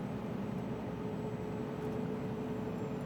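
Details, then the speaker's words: Scania R400 Streamline truck, heard from the cab at about 1,200–1,300 rpm: steady mid-pitched whistle over the low diesel drone, an annoying persistent turbo whine. "Olha o som da turbina, ó. Pra vocês terem uma ideia, tô a 1.200 giros só."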